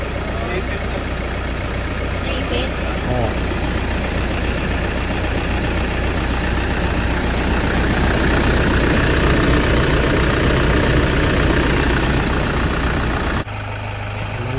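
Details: 2008 Toyota Fortuner diesel, previously crank no start blamed on pressure pump, after replacing a thin pinched O-ring: steady even clatter at idle with no stumbling or hunting; running properly now.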